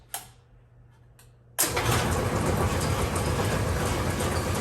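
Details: Brunswick pinsetter in a garage bowling alley, switched on after fixing the faulty magnetic clutch and refitting belts: a click, then an immediate steady, even mechanical whir with no grinding; normal start-up after repair.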